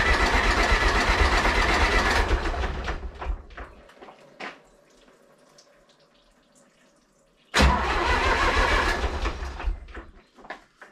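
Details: Zetor 4911 tractor diesel, stored in a dry shed since last run 3 Oct 2012 (engine renovated just before storage), with a loose core plug at the back of the head: cranks, catches with heavy uneven clatter, dies, fires again briefly; first start after long storage.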